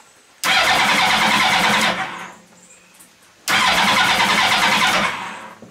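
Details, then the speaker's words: Motorcycle-engined 4WD mini trophy truck: two long bursts of fast, even starter cranking that never catch; FI light flashing, no spark, fuel pump not heard, code C42 ignition switch signal/anti-theft; cranks but won't start. "no spark FI light is back on flashing and we don't have a spark"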